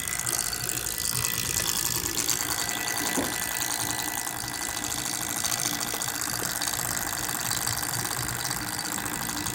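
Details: MSI GS30 laptop cooling fan (model PAAD07010SH N263): a steady whir with a fast, buzzy rattle under the airy hiss throughout.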